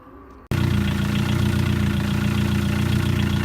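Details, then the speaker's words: Ford Focus Zetec started up on ramps after an oil change: after a short quiet moment it settles into a steady, even low idle with no misses or knocks, while the exhaust is checked from below and shows no leaks. Normal idle. "the exhaust is going on this, but there is no leaks. And you want to take that, you want to make sure that it's not leaking, because if there's a problem, it's easy to fix once it's up in the air."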